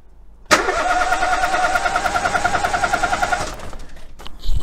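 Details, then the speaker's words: Relative compression test with one spark plug refitted loosely to leak: about three seconds of steady starter cranking with one softer beat per cycle; low compression on one cylinder. "so let's put the plug back in loosely and see if it picks up the compression loss on that cylinder"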